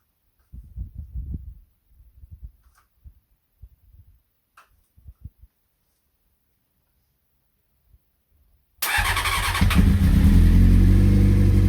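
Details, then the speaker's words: CBR600F first start after revival, starter bridged and ignition hotwired, half choke, fuel from dummy tank: several seconds of starter whirring in uneven bursts, then the engine catches with a loud roar but won't keep running on its own. "well short-lived try that again"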